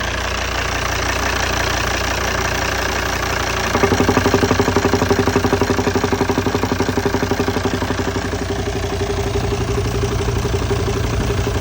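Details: 2008 Volvo XC90 D5 diesel idling with a steady, regular knock about three beats a second over the running note; engine knocking at idle.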